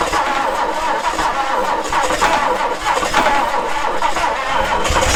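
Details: 1966 Ford Galaxie 390 big-block V8 just started after sitting 35 years, new plugs and charged battery, no gearbox: runs unevenly with a loose, lumpy beat and wavering note; rough running, cause unknown.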